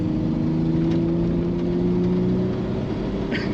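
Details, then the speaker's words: Toyota 4Runner 3.0 V6, before repair. Cylinder 6 has been dead since the beginning and was checked by leakdown test. Eighth-mile run on five cylinders: it pulls hard under throttle with an uneven, lumpy beat. Misfire from a burnt exhaust valve. "all right 4Runner take two on 5 cylinders did not like that"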